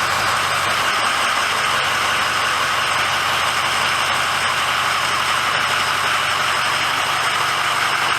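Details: 2006 Ford F350 diesel idling after oil and fuel filter change and air bleeding: smooth even whirring with a faint light tick, no stumbling or surging; normal healthy idle.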